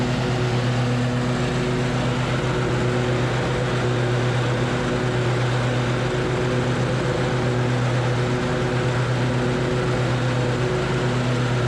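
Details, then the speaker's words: Troy-Bilt Horse mower with new deck belt and added idler pulley, deck engaged and fully lowered, testing for vibration; smooth constant engine note under deck load, no rhythmic thumping or shaking. "We're gonna start up and start that deck and see if we have a lot of vibrations anymore."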